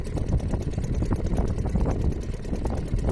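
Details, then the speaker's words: Restored Seagull 40 Plus outboard running in the sea after warm-up: busy, even two-stroke putter with water splash around it, firing cleanly without misses; running healthy after repair. "Yeah, it's beautiful. It's doing everything it should. I mean, I assume it's doing everything it should. Sounds good. Nice."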